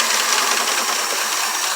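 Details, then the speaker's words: 1994 Chevy truck after a 6.5L diesel to 7.4L gas swap, distributor timing corrected: fast, light ticking valve train clatter over a still rough idle; some valves loose and needing adjustment. "can hear some flak and some of the valves are a little bit loose right now"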